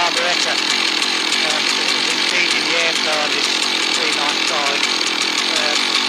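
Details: Husqvarna 1100 chainsaw, previously stalling when throttled, high raspy steady buzz while cutting after being sorted, music behind, no stalling or sputter; running well under load.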